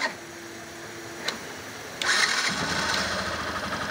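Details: 2021 Factor 150 motorcycle after a fuel pump refill replacement (the old one failed from running low on fuel): brief starter spin, then it catches at two seconds and settles into an even idle; clean, normal start.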